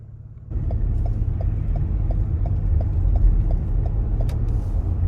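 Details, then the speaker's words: 2020 Toyota Sienna, 42K miles, started after filling the gas tank following EVAP canister purge solenoid valve replacement (previous no-starts after fueling): even, steady idle with faint regular tick, no check engine light; normal idle. "yep no problem no problem whatsoever we started as normal no check engine light seems like we're good to go"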